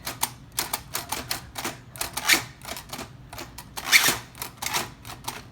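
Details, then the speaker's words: Old manual typewriter, at least 100 years old, typing and space bar with occasional bell ding: irregular sharp key clacks about one a second, brighter ringing strike near end; normal typewriter operation. "They typed like this, and then this is the sound it would make. Okay? Isn't that cool? Sometimes it would even ding."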